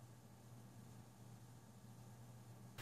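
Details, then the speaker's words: Deepcool Captain 240 liquid CPU cooler at idle: faint, steady low hum with a soft airy hiss, no ticking or grinding. Quiet at low fan RPM; gets loud above about 1500 RPM under load. Normal fan noise at idle. "So very good at low RPM. However, once those fans start ramping up, it really does get quite loud."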